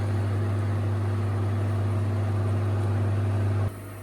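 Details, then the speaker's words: Vending-machine refrigeration unit on 253 V, brought in with compressor not running: the fan now sucks air in instead of blowing out, a steady low hum with constant fan rush; evaporator frosting up, normal running. "Okay, so now it sucks in like it should. Before, they're blowing out."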